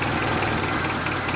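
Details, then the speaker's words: Steady airy hiss over a steady idle after fitting a new idle air control valve on an MPFI swap; owner suspects a vacuum leak and hears the PCV valve. "I think there's a vacuum leak somewhere I hear that PCV valve"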